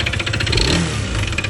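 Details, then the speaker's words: Honda PCX 160 MC taxi, 82,904 km odometer, CVT removed but still noisy, so the noise is in the engine: harsh, rhythmic bottom-end rumble and knock when revved, traced to a worn crankshaft bearing. "Tinanggal na natin yung CVT pero maingay pa rin. So ibig sabihin sa makina nang gagaling yung tunog."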